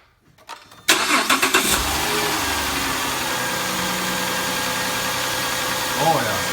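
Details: 2010 Grand Caravan / VW Routan 4.0 L after greasing a noisy tensioner pulley and refitting the serpentine belt: engine catches after short crank into smooth, even idle with no squeal or chirp from the belt drive.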